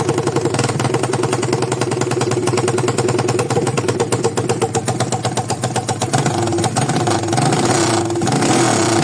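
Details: 200cc single-cylinder engine after fixing a strange noise, valves reseated; steady idle with even beat, picks up cleanly when revved, no knocking, sounds healthy.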